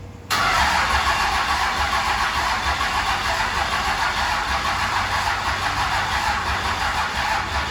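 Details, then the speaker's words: First start of rebuilt 2005 Cummins diesel after fuel system bleeding: catches almost at once, steady even idle without stumbling or knocking; good fuel pressure, quiet lift pump, check engine light suspected MAP sensor; normal. "let me show you guys we've got good fuel pressure we've got a check engine light i'm sure that's probably just for the map sensor or something no leaks no funny noises coming from the lift pump"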